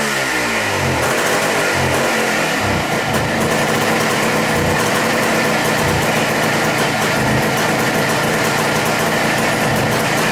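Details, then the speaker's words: Suzuki with bad carburettor floats set high to stop flooding: warming up with a choppy uneven beat that stumbles as the throttle opens. Running lean, so the least throttle makes it stop running. "And when you hit the throttle, it wants to, where it's in that lean condition, it's not enough to run the bike proper, if that makes sense. You can give it just the least amount of gas and it won't run."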